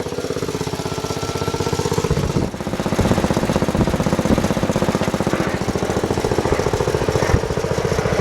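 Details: Bush Hog D4-10 Wisconsin single-cylinder engine after rebuild work with new rings, camshaft, governor gear and springs, in neutral, governor previously never worked and it smoked badly: started right up without squealing, steady even beat, no surging; governor now holding speed.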